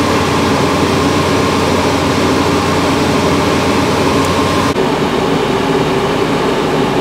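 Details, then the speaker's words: Range Rover after blower motor regulator repair, AC on max on an 81° morning: steady blower and engine hum, no rattles or squeals; vent reads 59.4° and dropping, over 20° delta. "it's blowing cold it's 59.4 still going down but that's over 20° Delta"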